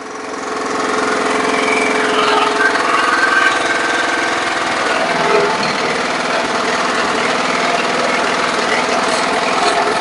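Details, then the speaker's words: Briggs & Stratton lawn mower engine: loud, uneven running with a loose knocking beat, slight surging and a little smoke; the oil level is high and the owner suspects water left in the carburetor. "I don't really like the way it's running there's a little bit of smoke but I know that uh the oil level's a little high sounds like something's banging a little bit"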